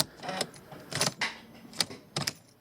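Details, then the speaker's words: Mercedes A/B-Class with an intermittent no-start: a few sharp, dry clicks at the key with no cranking. It does this for minutes before eventually starting. A new key didn't fix it; the mechanic diagnoses a failing starter motor. "Did you hear the click? Just a clicking sound. It will do this for quite a few minutes and eventually it will start."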